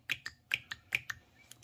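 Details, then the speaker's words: VANOS solenoid from a BMW N55 3.0 inline-six that misfired, ran rich and stalled, bench-tested with 12 volts. Crisp paired clicks about three a second as the plunger pulls in and releases; solenoid works properly. "let's uh hear some clicking sound see we see if we could hear something here there you go that's what we want that one's good and the other one perfect"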